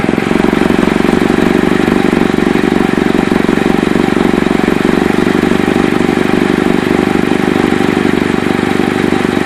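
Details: Chevy Cobalt at idle: sharp, fast puffing tick about four per second over the engine note; suspected exhaust leak, owner unsure whether flex pipe, manifold or both.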